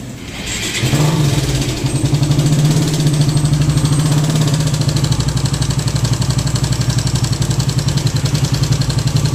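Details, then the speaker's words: Raider 150 carb type: busy metallic timing chain clatter at start and idle, still noisy despite fitted manual tensioner; strong engine oil leak noted, possibly missing gasket at tensioner. "So yun mga boss no kahit Nagpalit sila ng manual tensioner ah maingay pa rin yung makina ng motor ni boss"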